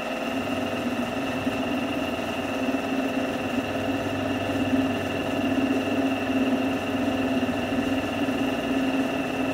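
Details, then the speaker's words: Drill press converted to a milling machine, side-cutting with an end mill: steady buzzing hum with a rough ringing edge; end mill chatter from the swivel-type, non-fixed table, which the owner worried might not be tight. "Bạn nghĩ sao? Chà, nó rung nhiều nhỉ, cái bàn này không phải loại cố định, nó là loại xoay nên cạo rất nhiều , nhưng độ rung thì tuyệt vời ."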